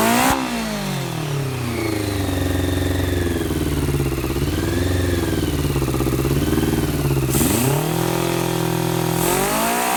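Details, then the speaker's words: 1990 Honda CBR600F four-cylinder being revived, started on starter fluid, choke nearly off; revs rise and sag unevenly then dip sharply before recovering; owner suspects intake air leak at carb boots; erratic unstable idle. "I got the choke pretty much all the way off, but I'm still having that issue."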